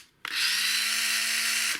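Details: Black & Decker BD405R cordless drill from about 1985, unused 20 to 30 years and seized before renovation: a clean steady high whir with even pitch and no grinding after the repair. Runs smoothly.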